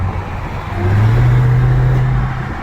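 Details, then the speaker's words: Dodge Charger SRT Hellcat under throttle: deep drone swells but never climbs into a real rev, trying to pull but making no power. Owner hopes for a new engine; cause unconfirmed. "It's like you see it trying to pull and then it doesn't want to pull and then it's trying. So I don't know. But we'll figure it out. Hopefully with a brand new engine. Like you can hear it's trying, but it won't."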